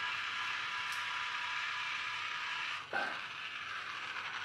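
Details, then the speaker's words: Battery toy car for a Magic Track set, running on three AAA batteries. High buzzing whir with a ratchety chatter that drops briefly mid-run; sounds like the drive gear slipping, with a broken gear still to be ruled out on teardown. "well I also feel it sounds like gear is slipping so might have to fix that I'm really disappointed"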